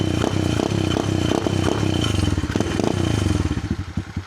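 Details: Cheap Amazon pit bike with a new replacement motor, a newly fitted quieter exhaust and an adjustable rev limiter, tested around 4,000 to 6,000 rpm: revs climb then stutter in rapid on-off cuts on the limiter, with a subdued exhaust note.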